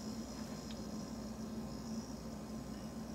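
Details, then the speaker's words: 13-year-old GE side-by-side refrigerator, model GSH25KGRW, just after replacing two failed electrolytic capacitors on the main control board: steady low hum with faint hiss and no relay clicking, running normally. "like it's working. No smoking."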